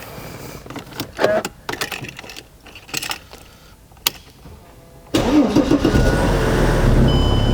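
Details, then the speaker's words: Wrecked 2005 Mercedes E320 CDI diesel with no coolant, started briefly after unplugging the transmission controller (EGS): crank and quick catch into a steady, even idle with no knocks. Normal diesel start and idle. "Wow, it actually came alive. The engine's all right. And it sounds good."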